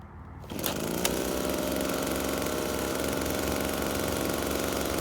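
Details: FUXTEC FX-LBS126P leaf blower (2018) that would not start, after replacing a cracked fuel intake hose: engine catches and settles into a steady, even high-pitched drone at throttle with no stumbles, misses or rattles; runs healthy.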